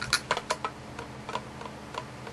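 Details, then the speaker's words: Gear motor being installed with pinion mesh set against the gear stack, rocked by hand: light, irregular tiny clicks showing just a touch of backlash. Correct gear mesh. "mooth, but you hear it? Just a little tiny bit of backlash."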